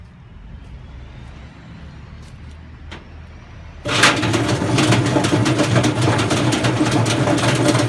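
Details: Hotpoint FEW12 washing machine with motor hot-wired, everything bypassed, no ballast: quiet, then sudden loud clattering rumble with rapid knocks about four per second as the drum spins up. Badly worn drum bearings; the belt came off.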